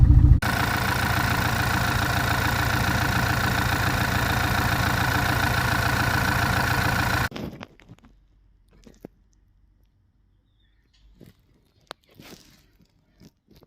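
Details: VW/Audi EA888 TSI/TFSI direct-injection engine: rough, uneven, lumpy idle for about seven seconds before shutoff, a misfire. Owner suspects a GDI injector stuck open, not confirmed.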